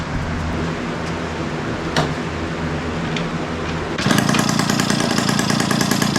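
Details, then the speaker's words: 1971 Yamaha Mini Enduro two-stroke, after clearing an acorn piece and dirt from the carburetor: rapid, crackly beat turning harsh and louder because the muffler washer O-ring was left off. Exhaust leak at muffler seal. "Man, that thing is running good. All right, I forgot a little washer O-ring. That's why it's so loud right now."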